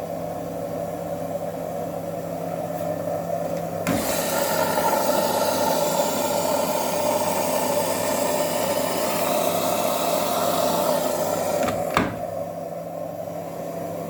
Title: #Frigidaire#drain pump making noise#worn out